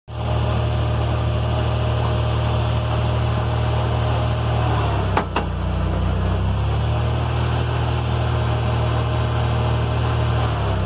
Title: 1st gen Tacoma rear differential diff clunk noise better video